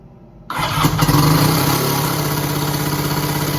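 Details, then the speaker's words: Three-cylinder 1100 engine with cheap aftermarket starter, running only on the middle cylinder, after new ignition coils: starter turns the engine at a sluggish uneven three or so beats per second; slow weak cranking, cheap starter suspected. "i've been listening to a few videos or watching a few videos on youtube and i can hear that these engines seem to spin over really really fast compared to this"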